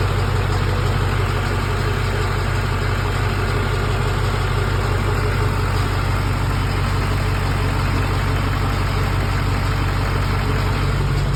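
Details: LB7 Duramax diesel with hard start: deep idle with a lumpy pulse about three times a second that never settles into an even beat, rough idle.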